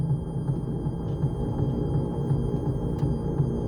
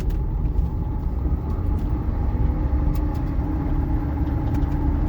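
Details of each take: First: Electric MG Midget conversion with a newly installed motor on a 144 V system, driving in reverse: a low rough grind pulsing about three times a second while the motor stays quiet; forward is smooth, and transmission reverse-gear damage is suspected. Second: Electric-converted MG Midget with newly installed replacement motor and new potentiometer throttle, test drive going forward: low smooth rumble and faint steady motor hum, no grinding, much smoother and quieter; grinding and jumpiness occur only in reverse, suspected reverse-gear transmission issue.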